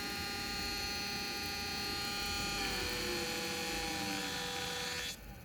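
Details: Small Arduino-driven motor on separate 5 V supply, close-up: thin, high whine with several steady tones that step down in pitch midway, then cut off; noisy motor, cause not identified.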